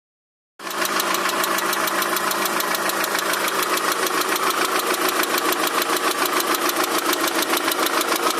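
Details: Daewoo Nexia 16-valve at idle: sharp, regular knock about three or four times a second, present both cold and hot; engine knock of unknown source.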